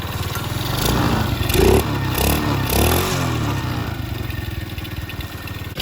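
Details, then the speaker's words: 50cc Chinese mini ATV after reassembly, carb seal soaked in PB Blaster and refitted, muffler back on. The small single buzzes and revs in quick blips with an even, muted exhaust and no leak puffing; it is much quieter and running normally. "I tried to soak the carb seal in PB Blaster so I'm gonna put that back on or quick and see if that fix a good eating issue that's a lot quieter now"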